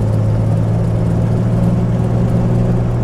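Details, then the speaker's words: 1990 Jeep Comanche that previously started then died, now driving at full throttle after the fuel pump circuit diagnosis: steady, strong low engine drone pulling evenly, no stumble or cut-out; healthy. "All right, we are rolling. Nice power. It's not cutting out or anything. Pedal to the metal."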